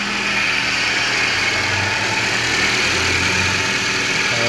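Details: GM Celta/Classic at idle after replacing the accessory belt bearing: a steady, even idle with a smooth hum and no chirp or bearing growl, the earlier bearing noise gone.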